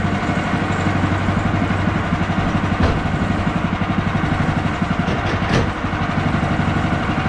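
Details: Bandsaw mill cutting 3/4 x 6 inch boards after the Pine-Sol blade lubricant was toned down; too much had made the blade slip off the bandwheel belt. Steady engine drone, even cutting roar, no clatter or blade slap; normal cutting.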